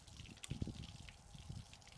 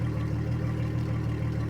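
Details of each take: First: 2003 Yamaha 225 four-stroke outboard with low compression on two cylinders, after fuel flush, squeeze ball primed: quiet, then sudden catch and uneven lumpy run with steady pulse; fuel leak found dripping, otherwise doesn't sound too bad. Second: 2003 Yamaha 225 four-stroke outboard, after fuel flush, idling at 750 RPM per live data: smooth even low hum with steady beat and no knocks, ticks or misses; running cleanly.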